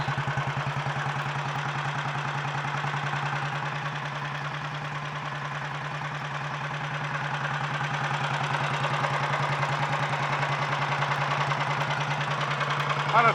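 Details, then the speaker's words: 1951 Royal Enfield Bullet 350 G2 idling just after first start following full engine rebuild: steady, even low thumping beat, no knocks or rattles; mechanically quieter than before the rebuild, healthy. "the engine is uh quite a bit quieter mechanically too it's i gotta say it didn't really seem to sound too bad before actually to me"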